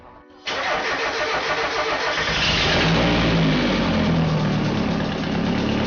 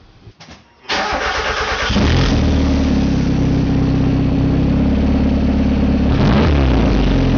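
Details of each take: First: Turbo Miata startup after installing eBay catback: loud, raspy, puffing ragged idle; giant exhaust leak traced not to catback or downpipe but to right side of exhaust manifold, found with smoke machine. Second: Turbo Miata idling on a new eBay catback after fixing an exhaust leak at the right side of the exhaust manifold, where a coolant-line tab was trapped under it: cranks, catches, steady even idle with smooth blips, no leak ticking.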